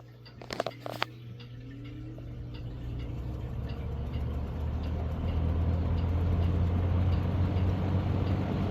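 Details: 1970s Galaxy 3713 Turbo Stream 20" box fan, 3-speed non-reversible motor, startup on low: a couple of switch clicks, then a low hum building smoothly to a steady run, no rattles; healthy startup (cage rattle noted earlier, screws not tightened).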